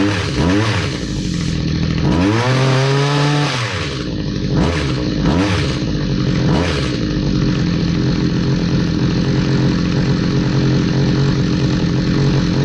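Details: Stihl HS45 hedge trimmer, long unused, two-stroke started after priming with fresh fuel and a new air filter following a customer tune-up: revs swoop up and down unevenly, never steady; rough running and surging, needs more work.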